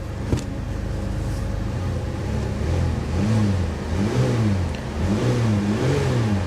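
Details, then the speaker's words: C4 Corvette V8 at salvage yard, smoking considerably: revving with uneven stumbling beat and lumpy pitch swings; bad misfire, later smoothing as fuel worked through. "Oh, misfire. Misfire bad. Yeah, she's misfiring pretty bad, guys."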